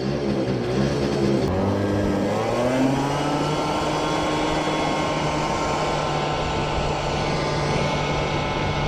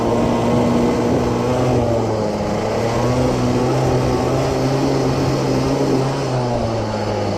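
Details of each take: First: CPI scooter after fitting 62 jet: revs climb smoothly and hold a steady buzz with no sputter at speed; jet seems good, normal running. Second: CPI two-stroke moped scooter on test ride after second new piston fitted, break-in run: irregular burbling sputter that never cleans up under throttle, running rich from an oversized main jet that may foul the plug; plug already cleaned once.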